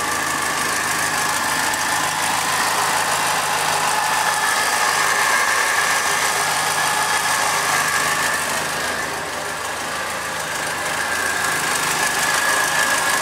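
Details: Second-hand Triumph Dolomite 1300 engine in a Gentry MG TF Replica, warming up after first start following engine change: steady even idle with smooth hum, no knocking or misfire, holding speed well; sounds really sweet, normal.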